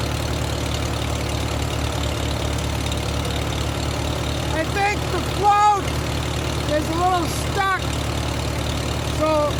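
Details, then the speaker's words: Farmall H tractor after rewiring with a new coil hot wire and new switch, idling with a low, fairly even thump, a little uneven at times; keeps flooding, fuel controlled at the sediment bowl valve, runs fairly decent, then dies. "it keeps flooding out. I got to I got to control the fuel with the uh with the valve on the sediment bowl, but it sounds like it's running pretty decent."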